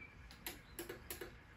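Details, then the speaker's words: Garage door opener that opens but won't close from the wall button. Three sharp clicks about a third of a second apart and the motor never runs; sometimes the door drops a couple of inches and reverses. "You hear that click? And it does that. All right, so this is my issue. It's not closing, but it does open."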